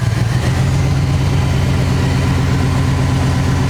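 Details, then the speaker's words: 1959 Chevy Apache engine after sitting a long time, first start: low, uneven idle that lopes and stumbles as if about to die; starved and struggling to stay running, old fuel suspected to have gummed something up. "Well, it goes to show they may be dependable, but anything that sits that long will give you issues. That's right. Yeah. I think that old fuel gummed up in somewhere."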